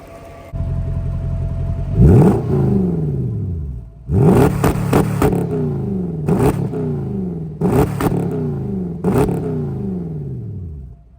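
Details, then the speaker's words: Mercedes SL500, first drive out of winter storage after wheel hub repair, fully warmed up: five quick free-revs climbing cleanly and falling smoothly back to idle with no hesitation or rattle; healthy engine, ABS light on. "car's all warmed up I'm going give it some revs just to hear how it sounds it's been so long baby's"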